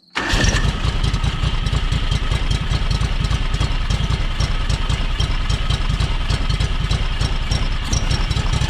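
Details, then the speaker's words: John Deere X585 riding mower, hours unknown (787 or 1787), after new fuel filter primed by cycling key: uneven loping idle about a hundred pulses a minute; rough running unchanged, owner suspects valves need adjusting. "Alright, so that didn't help it. So I'm guessing we need to adjust the valves before we go any farther."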